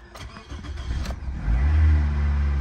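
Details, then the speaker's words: Auction-yard car with a very dead battery, hot-wired to force power, long unstarted and almost out of gas: brief crank, catches at once, settles into a strong even idle; slight oil-burning smell, engine sounds healthy. "Ooh. Okay. Started up like it has not been started in a while."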